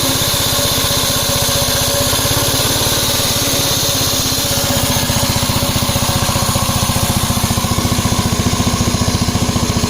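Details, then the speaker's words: 1961 Gravely L single-cylinder engine, run after a 12–14 inch snowstorm, hammering hard and unevenly at a set throttle, rough and surging under load. This noise was the first sign that the engine governor had failed and needed replacing. "The first indication that I got the governor wasn't working as that noise you heard."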